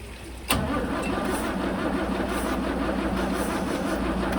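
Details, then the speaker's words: 1963 Mercedes W111 with mechanical injection pump, restoration start attempt with cold start connected and injectors ultrasonically cleaned: steady cranking for several seconds, never fires; fuel reaches injectors but they don't spray; crank no start. "So the injectors don't seem to be spraying anything, so I've got fuel getting to the injectors"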